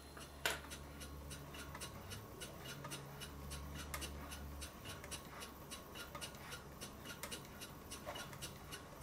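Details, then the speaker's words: Stuart Twin Victoria twin-cylinder model steam engine after valve timing adjusted: quick even exhaust beats at steady rate, no missed puffs; running much better, only a very slight tight spot remains. "unning much better now apart from the very slight tight spot this is about as even as I can get it what I'm going to do for the rest of the video is just let the engine run"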